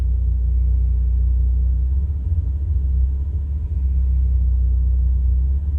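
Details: 1985 Toyota Celica with 22R-E engine idling at a gas station, recorded in the cabin with doors and windows closed; deep rumble dipping and stumbling every few seconds; rough idle.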